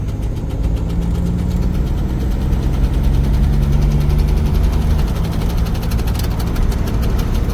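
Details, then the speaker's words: Turbo Buick driving on the road, needing a tune-up, calipers and brake drums: a faint, quick ticking over the low engine rumble, which the owner suspects, unsure, is something in the speedometer gone out. "That ticking noise sounds like something with the speedometer done went out."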